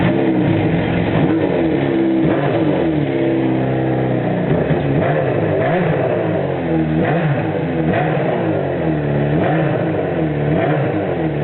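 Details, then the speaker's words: 1974 Honda CB500 Four with four-into-one exhaust, recommissioned after 10+ years off road: carbs cleaned, new plugs, oil changed, fresh fuel from remote tank. Revs blip evenly, no knocks; runs well for age, carbs still need setting up, throttle cable sticking. "so i had it started earlier on i've changed the oil and everyone this is what it sounds like it's quite good for an old bike"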